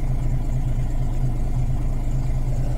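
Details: Volvo B10M diesel idling just after the rebuilt Bendix AD-2 air dryer unloaded successfully: steady even idle, no knock or hiss; air brake system sounds normal.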